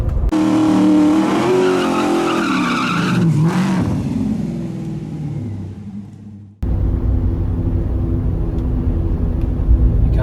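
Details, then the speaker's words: Chevrolet Tahoe driving around 50 mph, before front differential rebuild; light whirring whine over road noise from the front, shifting pitch with speed; failing front differential. "there's just kind of like a whirring or a light whining noise coming from the front"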